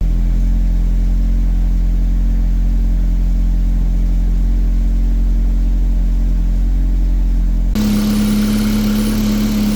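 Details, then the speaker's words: Truck at its first start after fitting a bigger intercooler and rerouted oil cooler lines, idling warm-up: a low, slightly uneven idle with a wavering beat of about three pulses a second, which the owner blames on clogged injectors. "it doesn't idle grade only because the injectors are clogged but it idles"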